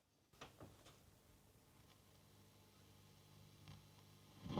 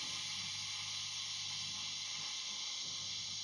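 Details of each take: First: Tube amplifier master volume swept with audio boosted: steady low hum with scattered crackles and rustling around 8 on the dial, nothing at 3; scratchy potentiometer, to be cleaned. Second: Valve guitar amp, second channel with master and mid up full: bass control turned gives only a soft steady hiss, no crackle or scratch; pot clean and quiet, unlike the slightly scratchy volume.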